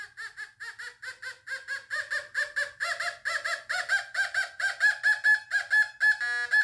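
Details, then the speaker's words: Fisher F44 metal detector air test, quarter: steady mid-pitched chirps about two per second, picked up faintly between nine and ten inches; target tone. "gets it faintly between nine and ten inches"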